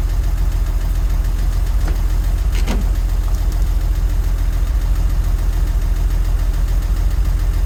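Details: 1963 Jeep Gladiator after a drained battery (key left in ignition) and hard cranking: steady low idle with a light, regular tick about twice per second over it; unexplained engine tick, cause not pinned down.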